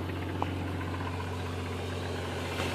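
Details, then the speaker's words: Jeep Grand Cherokee 4.0 six-cylinder with 4.5-inch lift, warmed up, on 20W-50 oil, Y-pipe with pinhole leaks: faint quick lifter tick over the low steady idle hum. "yeah, you can kind of hear the lifter tick. It's kind of warmed up now."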